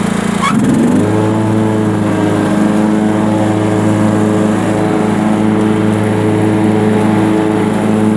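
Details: Sears Craftsman Honda 42-inch riding mower, after backfiring fix, mowing under cutting load: steady even engine note with no misses or pops; running very good and cutting grass nicely.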